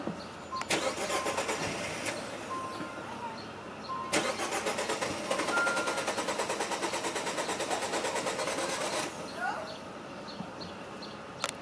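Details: 2018 Jeep Compass failing to start again: starter whirs in repeated bursts of steady cranking but engine never catches; cranks, no start.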